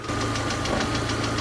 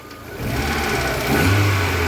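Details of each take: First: VAZ 2112 at warm idle at operating temperature: steady beat with regular stumbles, several per second, as a cylinder loses spark; misfire caused by a failing ignition module with below-spec resistance. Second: VAZ 2112 just after a new ignition module was fitted, still on the old HT leads, engine warm: an even, steady idle with one brief throttle blip and no stumbles. Normal idle after the repair.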